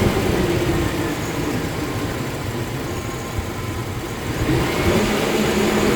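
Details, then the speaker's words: 1999 GMC Sierra V8 on cold startup idles unevenly with misfires on cylinders 8 and 4, then all cylinders. Caused by a leaking intake manifold gasket (vacuum leak); manifold was removed, cleaned and resealed. "Yeah, I feel the misfire."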